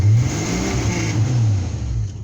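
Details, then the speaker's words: 1993 Jeep Grand Cherokee 4.0 with all sensors, distributor, plugs, wires replaced: starts, revs hard with deep rising roar on throttle, backfires, then sags and dies; cause unknown, owner suspects flooding. Revs then stalls. "now it should crank over but it doesn't stay running so if I give it Full Throttle or halfway it just backfires and then just dies"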